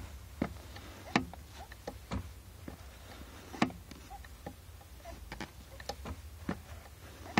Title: Clicking Clutch Pedal | Clicking Noise Clutch Master Cylinder